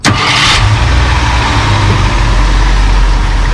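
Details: 1966 Ford Thunderbird with rebuilt Autolite 4100 carb and conventional points ignition; after narrowing the points gap, dwell rose from 23 to 26° at idle (spec 26–31). The engine catches straight away and settles into a steady, even idle with no misses: normal start and idle.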